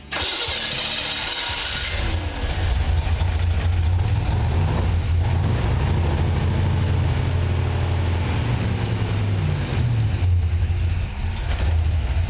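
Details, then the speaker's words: Engine with a newly installed FiTech throttle body EFI, after verifying fuel pressure, tach wire and tach selection, cranks briefly, catches and settles into a steady, even low idle with light blips; normal start. "We should get an engine that fires, starts up, and runs."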